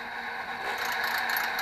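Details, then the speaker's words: Used HP Infinium oscilloscope under repair: loud, rough, rattling whir holding steady, like a dry bearing chattering; internal cooling fan noisy, cause not yet found. "why wow that's really loud"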